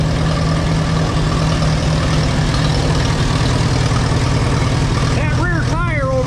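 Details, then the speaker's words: 1952 Allis-Chalmers WD four-cylinder tractor, long parked, converted to 12 volt with 3 ohm coil, needs tune-up: low, lumpy idle with uneven beat about two puffs a second; owner thinks it's only running on three cylinders, not confirmed. "Still think it's only running on three cylinders."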